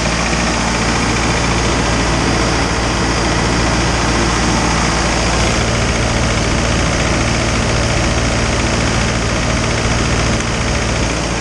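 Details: Isuzu 4BD2T turbo diesel at initial startup, warming up before the thermostat opens: even, steady idle clatter with no misses or knocks; healthy engine.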